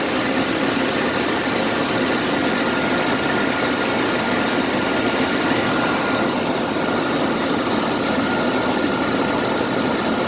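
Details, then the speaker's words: Jeep CJ just started from cold, idling: a thin steady high whine over hiss and rumble, heard as the voltage, which should read 14.6 V, jumps and dips to 7, 9 and 13 V; a failing alternator. "It should be reading 14.6 volts, and look at how it jumps around. And I also hear this funny noise in it. When I hear the noise is when the numbers dip down."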